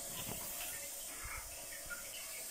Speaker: bugünkü tamir videomuzda arızalı bir rezervuarımız var Sesten de Anlaşılacağı gibi rezervuarımız şu an için su kaçırıyor arkadaşlar